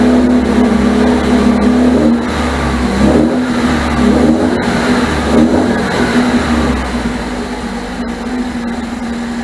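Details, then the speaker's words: 1978 MGB after rebuilt carburetors were fitted and the ignition points deleted. Fast, uneven idle with a wavering, sagging beat. It finally runs after the distributor was turned, but roughly; the owner suspects more distributor adjustment is needed. "so I was able to get it to finally sit here and run. It's not the greatest, but I think I'm still gonna have to do a little bit more turning on that distributor."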